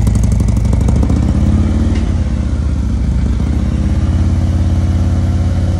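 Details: Custom 2020 Harley-Davidson Road Glide with freshly built 130-inch performance engine, first start before first tune, smoking: deep, loping V-twin idle about three and a half beats a second, steady and even, no knocks or ticks; healthy.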